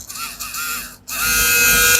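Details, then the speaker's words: Wahl Senior hair clipper motor, after cleaning, bench-tested on a power supply before lubrication: steady high-pitched electric whine holding even without stumbling; motor spins freely, still normal and safe. "Jadi dia masih aman sudah dinamo ini."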